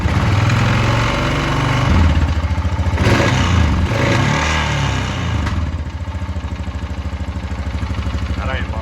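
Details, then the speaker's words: 2020 Honda Rubicon 520 ATV after being swamped, idle: lumpy single-cylinder idle with steady tapping about three times a second; knock seeming to come from the top end, suspected cam chain tensioner or valve clearance, owner fears crank. "sounds like coming from top end take your gas tank off you serious take you guys take off you either killed the tensioner on time and chain or your vows are out that's what it sounds like to me"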